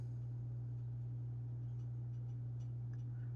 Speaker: Now, what happens if I turn on the fan and the convection element? Do we have any problems? No problems. Okay, that's good.